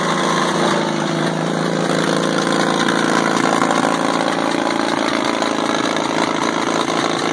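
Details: WWII-era Caterpillar RD4 bulldozer diesel, first start in 20 years after retrieval from a canyon: chugs at a steady, even idle with a dry mechanical clatter, no missing or stumbling. Runs fine; clutches seized so it won't drive.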